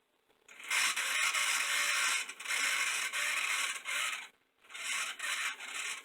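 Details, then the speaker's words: Model train locomotive from an eBay lot, held up at full throttle: high dry rasping whir with a pulsing scratchy squeak; the motor is dry and needs oil before teardown. "but there it is running as you can hear there was been squeaking so it definitely needs oil but let's see if we can get this engine back into full running condition again"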